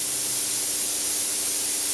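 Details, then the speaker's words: Pierro Silver 3 Group espresso machine, one steam arm and one group running continuously under heavy load: steady even high hiss, no sputtering, pulsing or loss of strength; gauge unmoved at 0.9 bar, normal. "You can still hear the steam still running, the group still running. The gauge has not moved a millimetre."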